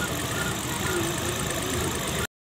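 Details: Prince that had two cylinders not firing and power loss. After head work, gasket, and rail and injector cleaning, the small petrol engine idles with a steady, even rumble and no missing beats or knocks.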